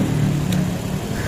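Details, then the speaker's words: Honda Supra X after engine rebuild for a very rough-sounding engine, with oversize piston, new cam chain, pulser packing, oil pump gear and oil: short, steady low idle with even beat, no rattle or knock; now smoothest. "Nah ini bisa teman-teman suaranya nah ini ini suaranya Udah paling halus"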